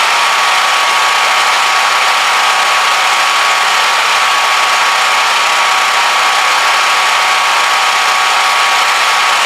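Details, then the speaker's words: Harbor Freight Predator 3500 inverter generator (3000 running watts) just started, output about 124 V: quiet even hum with steady light whir, no knocks, misses or surging; barely audible while running smoothly. "I gotta say this is amazing this is awesome I can barely hear it running"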